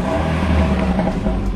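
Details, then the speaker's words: Car that was misfiring with blinking battery light, after coil replacement and ECU replacement with a used unit, Gonic GX7 oil: engine revs clean and even under throttle, no stumble; runs smoothly with no misfire. "Untuk mesin dia kembali seperti biasa, enggak ada pincang sama sekali. Ini dia mesinnya, Teman-teman. Suaranya halus ya karena saya menggunakan oli tadi PA Oil Gonic GX7."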